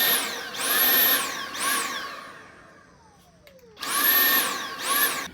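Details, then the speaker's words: Dyson V8 stick vacuum: high motor whine surges and drops about every second, briefly cutting out, suction cycling on and off; owner suspects an airflow blockage such as a full bin or dirty filter. "But one of the issues we've had with this is that sound you hear where it's cutting on and off, and it's not really effectively vacuuming."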